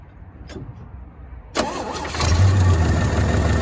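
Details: 1965 Chevy C10, sitting since 1994, first run: brief crank, catches and hangs at raised idle; gas pedal sticking since throttle return spring was removed during fuel hose work.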